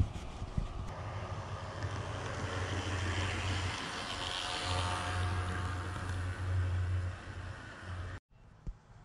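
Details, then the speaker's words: Walthers model locomotive returned from shop for unusual noise, running on a Woodland Scenics layout: coarse raspy buzz like a small two-stroke trimmer runs steadily under it; drive motor still abnormally noisy, cause undetermined. "And that sounds still like it's got a weed eater running in the back seat of it."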